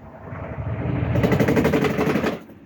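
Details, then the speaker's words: Midea top-load washing machine on spin: fast rhythmic knocking builds as the drum spins up, then fades; worn basket base, fixed by replacing the base. "desse modelo aí que esteja acontecendo isso, esse barulho aí, ó. Só fazer a troca dessa base aqui, ó."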